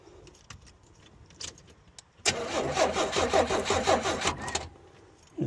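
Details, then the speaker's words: 1986 Chevy Astro-based mini motorhome, crank-no-start: slow, labored cranking under three turns a second for about two seconds, never catching, on a very weak battery; noid light tester shows no injector pulse; extensive rodent damage to engine bay wiring harness found. "Crank it over. Yeah. Got no injection pulse."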